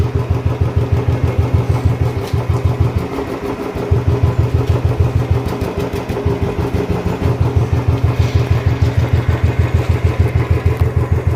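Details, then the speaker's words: Restored old Royal Enfield Bullet 350 after engine work, previously hard to kick-start and misfiring, now starting first kick; slow, even single-cylinder thump at idle about three beats a second, steady and quiet with no misses. Normal idle. "ഒറ്റയടിക്ക് സ്റ്റാർട്ടാണ്, സൈലൻ്റാണ്."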